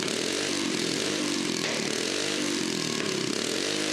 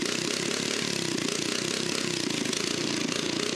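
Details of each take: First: Small engine on a restored toilet-on-wheels after spark plug cleaning, running well; buzzy engine revving up and down with crackly pops and spits from the exhaust pipe as it gets lively. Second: Small engine on a restored toilet-on-wheels abandoned in woods, started after spark plug was cleaned and heated; quick, evenly spaced firing pulses at stable idle, no surging or misses; normal idle.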